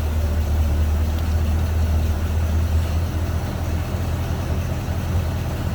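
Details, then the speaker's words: 1928 Marmon Model 78 Roadster inline-8, indoors, no choke, cold start via floor push-button in neutral, throttle raised slightly: steady low, even rumble, no knocks or misses, slightly raised idle; sounds healthy. "All right. Keys on. And it fires right up. Throttle it up just a tad."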